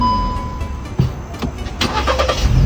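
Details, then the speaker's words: Car engine start after reseating a leaking carbon canister solenoid valve that had caused a rich mixture and no-start: starter catches and fires first try, settling into a very steady run; normal start. "咱们前面看看，快看，发动机运转的特别的平稳，稳如老狗。"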